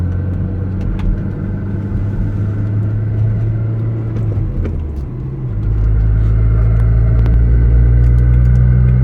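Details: Audi B5 A4 1.8T with brand-new clutch, driven with pedal in and out, loud exhaust: loud drone with a light, loose rattle changing as the clutch is worked; suspected pilot bearing, actually gear chatter from the lightened flywheel.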